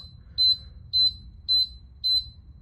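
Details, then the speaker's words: Mobility scooter throwing a 6-beep error code: shrill, evenly spaced beeps because the throttle was squeezed while the key was turned on; fix is to let it sit a second after power-on before using the throttle. "You're getting 6 beeps again. Again, this is a common issue where people are just trying to go a little too quick."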